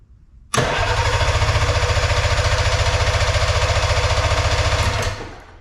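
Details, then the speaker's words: Arctic Cat Puma Deluxe 340 snowmobile sat about 10 years, primed with fuel in cylinders: starter churns steadily at three to four pulses a second with no pop; no spark, coil primary measured 0.8 ohms, suspected faulty. "All right, you guys saw that, no spark. Put fuel right down the cylinders, no fire."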